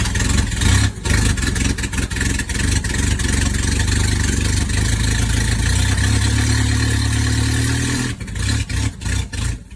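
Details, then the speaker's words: Abandoned Toyota Tercel SR5 wagon: uneven lumpy idle dipping and surging with throttle blips; owner thinks timing is off and distributor needs advancing a tooth. "So, I think the distributor needs advanced a tooth. Because I advanced it as far as I can, and it was idling."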